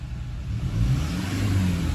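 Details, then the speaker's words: Diesel engine with 395,000 km, free revving: picks up smoothly and evenly with no knock, rattle or miss; a clean revving engine. Background belt squeak comes from another nearby vehicle. "How clean is that? That is a clean revving engine."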